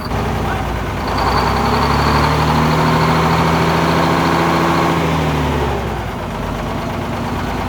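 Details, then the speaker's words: 1970 GMC Astro semi with a 6-71 inline-six two-stroke Detroit Diesel, first run after 30 years sitting, started with starting fluid: rises from idle to a steady rev and back, strong even beat, no knocks; sounds healthy. "hey it's pretty good it sounds good sounds really good"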